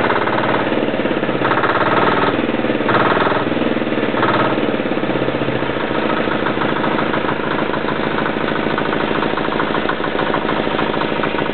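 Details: Yanclone Suntom 186CF 406cc single-cylinder diesel in a Royal Enfield motorbike, second test run after rebuild (injector, fuel line, head gasket replaced, valves decoked): even, steady idle thump with no knocking or rattles; running cleanly.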